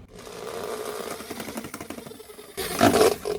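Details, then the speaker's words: Drain-cleaning machine resting on a drum: motor drone with busy rattle swelling into harsh clatter as the spinning drum shakes and sends heavy vibration into the floor. "소리 들리시나요? 이 통이 흔들리면서 바닥에 진동을 많이 주게 돼요. 바닥에 진동을 많이 주게 되다 보니까 주말에도 작업하기가 아파트 같은 데서는 좀 어렵고요."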